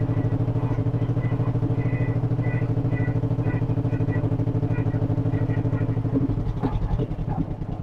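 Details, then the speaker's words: 1958 John Deere 420W tractor after a cold start; this one idles really low, deep steady putt-putt about three beats a second, no misses or knocks: normal low idle. "Yeah, this one idles really low. I forget that."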